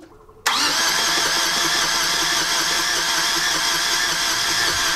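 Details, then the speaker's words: Yanmar diesel sailboat engine fitted with a spare starter after the first would not turn at all: laboured sluggish cranking at about half normal speed, never fires; starter suspected not spinning fast enough, to be taken apart. "now it sort of turns over but it only turns over at about half the speed it should turn over and that's just not enough to get this engine to start"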